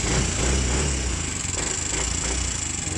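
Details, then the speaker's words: Motorcycle engine that ran dry of oil, still noisy after refilling oil: rapid light ticking about three per second over the idle, still audible with the pipe covered, owner calls it abnormal; valve train ticking from oil starvation, to be taken to shop. "Diba narinig nyo? May lagitik. Tat. So, hindi normal yung ingay niya. Ayan. Kahit takpan natin yung pipe eh. Maingay pa rin talaga. Diba? Hindi normal."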